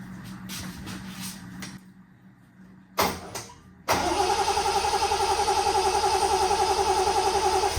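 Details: 1972 Triumph TR6 that idled at 200–300 rpm and died on throttle, cranked after distributor and coil reassembly with fuel pump giving no priming resistance: steady cranking about three to four beats a second, never firing; no fuel.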